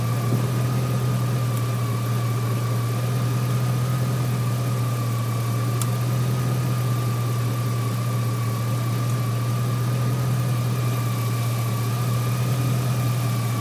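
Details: 2003 GMC Sierra SLE, 4.8L V8, idling on a replacement junkyard 105 A remanufactured alternator; even idle with a faint constant whine, no knocks or misses; 14.2 V measured at alternator; healthy, normal idle.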